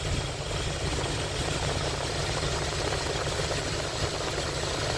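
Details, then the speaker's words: 1979 Lincoln Continental Mark V after distributor replacement and tune-up, timing set at 14° BTDC with new timing light, vacuum advance connected: smooth, steady low rumble at idle with no misses or stumbles; engine runs evenly and healthy. "we got it set on 14° top dead center and we're going to fire it up for you and let you hear it run"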